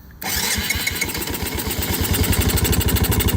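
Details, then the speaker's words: 1985 Yamaha Moto 4 80cc ATV finally running but only on choke; uneven stumbling pops about three a second; owner suspects dirty carburetor needing ultrasonic cleaning: rough running on choke. "On choke. Yep. Not liking that carburetor very much. Like at all. Oh yeah. Gotta have choke."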